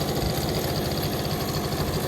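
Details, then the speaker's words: 1983 Honda Aero 50 scooter, two-stroke, just running again mid-restoration: buzzy idle with a light metallic rattle on top; owner suspects the head, but the head studs feel tight, source unconfirmed. "because we do hear a little bit of a rattling noise coming from somewhere, and I just want to make sure it's not the head itself."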